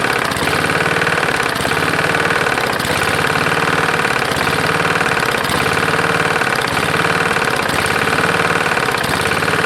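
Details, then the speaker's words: Lawn-Boy roadside walk-behind mower, 149cc non-OHV engine, first run with dirty oil: heavy uneven knock roughly every second over the idle, not louder when bail pulled; rod knock or other internal fault suspected. "that sounds like it's got quite a knock so when you pull this in nothing gets louder so i'm not quite sure"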